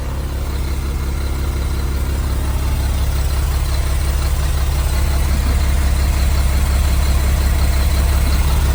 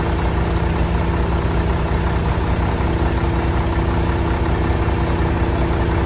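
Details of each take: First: 1975 Mack FR700 8x4 diesel idling at first start after years sitting: heavy idle with a steady chuff about three times a second; air compressor puffing from its open discharge port. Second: 1975 Mack FR700 8x4 twin-steer diesel truck, first start in many years after fuel was bled to the injector ports: deep, steady idle with even low thumping and no misses or knocks, running cleanly.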